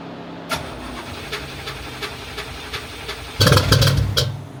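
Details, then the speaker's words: Widebody C4 at night after new connections: slow cranking ticks, then a short burst of firing that fades and dies within a second. Stalls at idle, then won't restart; cause unknown. "Then it dies. Then it won't start. So it won't stay running, it won't stay idling."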